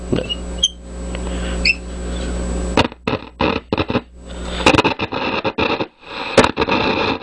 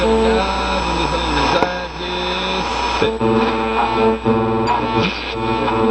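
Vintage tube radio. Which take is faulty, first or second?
first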